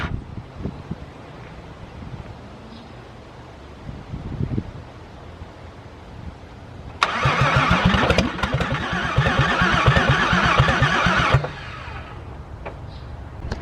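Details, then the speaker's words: VW VR6 that won't start: steady starter cranking about three beats a second, then a brief uneven catch as if about to fire but never runs; owner suspects no spark from a failed distributor, unconfirmed. "you guys see that she bothered something happened there she almost something happened i know you guys heard it"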